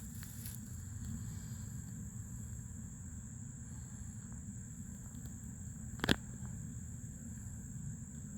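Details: New Fluidmaster 400A toilet fill valve refilling the tank: thin, steady high whistle over a soft water rush throughout. Noisy fill valve.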